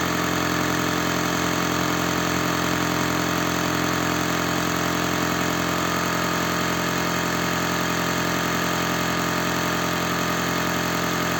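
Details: Toyota Prius (20/30 series) cold start: shaky idle with steady knocking beat and dropped pulses, noisy rattle at start; misfire plus knocking crankshaft damper.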